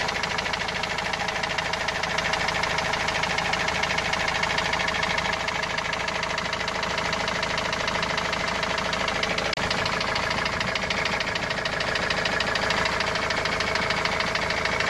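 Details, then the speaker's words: Opel Vivaro turbo diesel, noise began two to three weeks ago and parked unused since; steady hammer-like knock about three per second at idle, source unknown. "وهذا الصوت ما عم نعرف منين الصراحة، صوت مثل المطرقة يعني."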